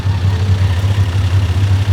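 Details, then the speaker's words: 1995 Toyota Land Cruiser 80 series at idle, also blowing smoke: a low, pulsing, slightly loping idle with an uneven beat. It idles a bit rough, cause not yet known. "But you can see like it's idling okay, just with that smoke, a bit rough."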